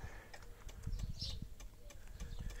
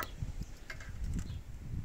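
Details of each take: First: 1990s Yamaha Virago 535 motorcycle, ignition on, engine not running, neutral light blinking. A relay chatters constantly with quiet, rapid, uneven ticking; the owner is unsure which relay. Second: 1990s Yamaha Virago 535 motorcycle with a replacement fuel pump on a temporary connection. A quiet low buzz with soft irregular pulsing as the pump switches on and primes: normal priming, and the bike then starts right away.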